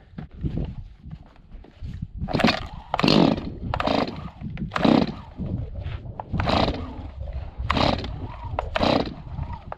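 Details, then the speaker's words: Long-neglected Stihl 026 two-stroke chainsaw after carburetor cleaning, fresh gas mix, idle adjusted: fairly even idle between brief throttle blips, no misfire or stalling; normal idle. "There, idle. That sounds pretty good. So yeah, so this thing is doing, I'm not a chainsaw expert, but this seems like it's running really well now. That idle was super easy to adjust."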